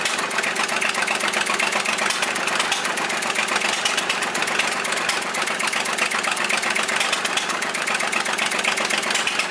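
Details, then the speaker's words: Volvo 320 tractor with Perkins indirect-injection diesel, first start after rebuild, idling with rocker cover off: sharp uneven puffing clicks from combustion gas blowing past an injector seat. "avem un injector care suflă pe lângă el să vedem dacă nu l dăm jos"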